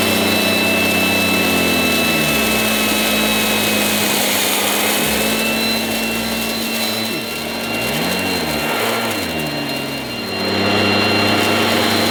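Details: 1980s mains-powered Goblin Roto handheld vacuum cleaner, rotating agitator brush working dirt: constant harsh roar with a thin whine on top, tone sagging and recovering under brush load; very noisy but running fine.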